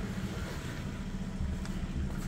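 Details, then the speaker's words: Ford Fiesta heard at the exhaust at idle: deep rumble with uneven low thumps and pops breaking the rhythm, a misfire or stutter. "at the moment it's misfiring or stuttering yeah you can hear it in the exhaust"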